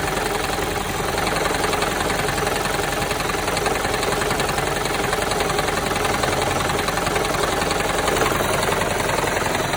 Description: This is Toyota Prius 2007 and all cylinder misfires and this sound is resolved by cleaning fuel injectors.